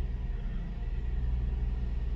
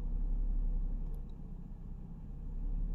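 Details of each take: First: Mercedes SLK 350 R171 petrol engine idling after replacing the faulty ignition coil that caused a misfire. Smooth start and low, even idle with no stumble, where it previously vibrated; normal idle. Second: Mercedes SLK 350 R171 petrol with a rough, uneven idle that sags and recovers yet runs fine under throttle. The owner suspects a misfire from the ignition coils or a spark plug; faulty coil is the finding.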